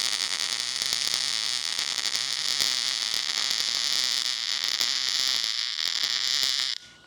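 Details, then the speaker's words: MIG welding with a Millermatic 211, ER70S-6 .030 wire: harsh crackling arc with irregular pops, suspected cold weld because wire speed is too fast or heat too low; raising heat gave a better weld. "So, that doesn't look too bad, but in my opinion, the wire speed is too fast or it's not hot enough."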